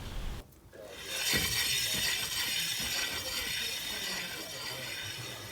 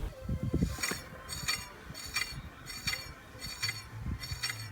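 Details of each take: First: Renault Twizy rolling: a steady, high-pitched scraping hiss from the front brake pads rubbing the discs, varying when turning; corroded caliper pistons are suspected from the car being stored outdoors. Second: Renault Twizy wheel after freeing corroded caliper pistons: faint light swish about once per wheel turn, only a very slight residual brake pad rub, barely audible when driving.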